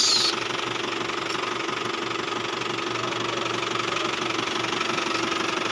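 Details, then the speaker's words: Isuzu Travis diesel at idle, steering noisy when turning, still noisy after a belt replacement: diesel clatter with a steady mid-pitched whine and rough hum; power steering pump bearing noise. "Kasi nung nakaraan nagpapalit sa atin ng belt to no eh kaso nag-iingay pa rin. So titingnan natin bago na ang belt pero nag-iingay pa rin."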